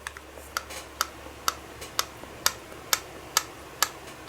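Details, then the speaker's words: Brastemp/Consul washing machine, new zero-km gearbox, input shaft turned by hand with pulley and belt removed: light, crisp ticks about two a second, which is normal; a very dry noise could mean a faulty gearbox seal. "isso é normal ok pessoal agora se o barulho ali tá muito seco Pode ser que dentro da caixa né dentro da caixa de engrenagem pode o retentor ele pode estar com problema"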